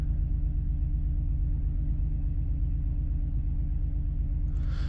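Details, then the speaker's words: Engine with a cylinder 3 misfire code (P0303): after clearing codes and restarting, a deep, lumpy idle with an uneven thump about three per second; codes now show cylinders 3 and 6 misfiring. "It still doesn't seem very happy. Oh, okay, that's interesting. 3 and 6 now."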